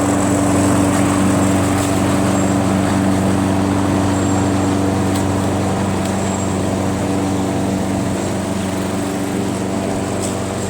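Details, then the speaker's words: Craftsman 21-inch self-propelled mower with 6.5 HP Tecumseh engine, after a carb clean removing gum: holds a steady, even buzz at constant speed without surging or stumbling; normal running. "so now that it starts and runs this price just went up from $25 to 50"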